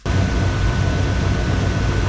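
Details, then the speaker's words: 1956 Chevy Bel Air V8 with a carburetor being tuned, idling with the vacuum advance plugged back in. A deep, even rumble whose rpm now holds steady instead of dipping, though the mixture still sounds not quite right; a slightly uneven idle. "Well, this is the best I've seen it yet. I don't think it's 100% right yet, but the RPMs aren't just dipping and ducking and diving like they used to. They're holding pretty steady, so I guess I'm gonna take it for a test drive real quick."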